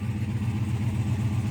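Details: Jeep Wrangler JL or Gladiator with auxiliary battery, after earlier dead-battery no-start: engine fires and settles to a low, even idle rumble with no misses or knocks; normal idle.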